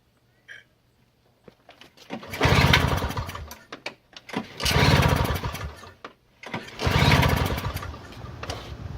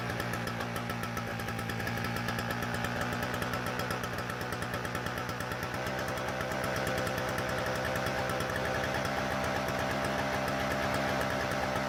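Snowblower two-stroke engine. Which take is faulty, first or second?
first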